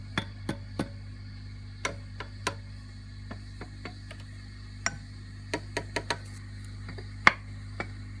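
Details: Fender Princeton Reverb with volume up while tubes are tapped: irregular sharp clicks and knocks over a steady low hum, from microphonic preamp tubes.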